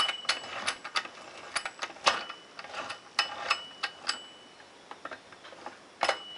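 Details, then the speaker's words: ATV Scrambler transmission, cover off, after metal-laden fluid and bad noises: crisp ratcheting clicks and clean metallic clunks shifting by hand through forward, neutral and reverse without grinding; normal gear engagement. "I'm just going to show you how this thing shifts so that is going into forward gear so that's forward neutral in"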